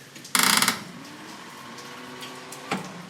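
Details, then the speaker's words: 1956 Ford F100 after about 8 years in storage, clutch pressed: one short, sluggish ratcheting crank of about a third of a second, then silence; the starter barely turns the engine, battery suspected low and left to charge. "we do that again yeah we still need some some more juice noise that's the starter"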